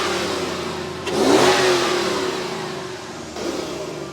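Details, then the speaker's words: Project bakkie with newly fitted V8 and exhaust: crisp throttle blip rising and falling smoothly, a second lighter blip; healthy, clean, crispy exhaust note. "Yo, it sounds nice. Eh? I like the sound of this thing."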